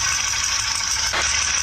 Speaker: The sound of damaged engine valves.